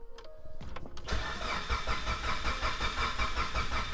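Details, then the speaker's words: Mitsubishi Evo 8 rebuilt with Manley rods, Wiseco pistons and HKS 272 cams, cranked with the crank sensor unplugged so it won't start, to check for noises and fuel leaks: a click, then an even, steady turnover with no knocks or scraping; sounds healthy. "I just want to turn it over right now make sure we don't hear anything weird going on and also make sure we don't have any fuel leaks so let's crank it over see what happens she sounds pretty damn healthy"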